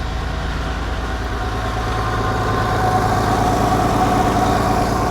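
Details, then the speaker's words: Nissan 300ZX twin-turbo, first start after fitting new dump pipes and front exhaust, idling with a rough puffing rhythm and faint hiss; sounds like an exhaust leak, source still to be found. "all right so let's fire this [ __ ] thing up the first time see how it goes and that sounds like an exhaust leak"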